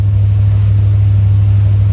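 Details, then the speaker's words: C3 Corvette, diesels after shutoff, alternator belt squeaking, timing and idle unchecked: steady, even drone at a constant pitch that won't kick down; idle too high. "it's so high. It's idling so high."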